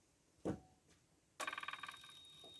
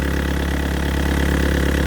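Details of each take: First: Yanmar VIO55-5B excavator diesel after an oil and fuel/air filter change: short bursts of even cranking, then longer cranking at about three turns a second without starting, because the fuel had been turned off. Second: Yanmar VIO55-5B excavator diesel just after a fuel filter and water separator change, self-bled and started, warming up: steady, even low rumble at idle with no knocks or misses, running smooth and healthy.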